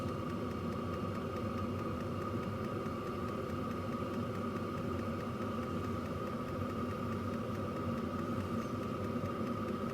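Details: Hcalory TB2 diesel heater after one year of use, microphone close to the downward-pointing exhaust: steady even exhaust rumble with constant mid hum, no surging, popping or misfire; normal clean running.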